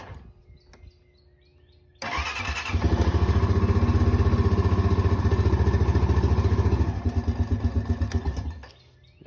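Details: 2005 Honda Rancher 350 ATV after a starter replacement, started with a jump pack. A short crank, it catches right away and settles into a steady, even idle before shutting off; starting and running are healthy.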